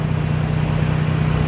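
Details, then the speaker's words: Dodge Journey petrol engine at idle after reconnecting the battery negative during an alternator test, charging voltage up to 14 from 13: steady low idle with even pulse, no surging or hunting; smooth normal idle. "when i put it back completely smooth running idle's not going up and down"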